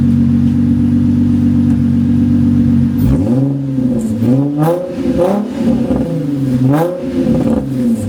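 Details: Nissan 350Z on roughly stock exhaust with mufflers not connected: loud raspy idle, and throttle blips give a blatty, hollow roar with a puffing edge. Exhaust leak.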